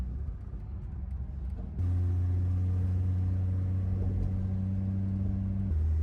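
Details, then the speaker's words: 1962 Ford Falcon with a swapped-in inline six, driving in second gear under light road load: steady even engine drone, no clapping or knocking. Much smoother than the previous engine, which was clapping. "Oh, this is so much more smooth. The other one was clapping. It's very smooth."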